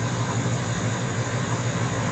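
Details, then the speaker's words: 1975 GMC Gentleman Jim C10 V8, first run after sitting 18 years: a low, uneven idle with a soft bubbling gurgle under the rumble. It has a vacuum leak at the intake manifold. "definitely got a vacuum Lake I can hear it's down in the manifold I can hear it gurgling but"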